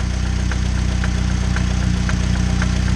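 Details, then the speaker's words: 2006 Chevy Cobalt LS petrol engine at idle: steady, sharp knock about three times a second, heard loudest from underneath around the oil pan; sounds like a typical rod bearing knock. "alright guys well that's that's pretty much it for this car for those of you that don't know what's going on by now it sure does sound like a typical rod bearing knock"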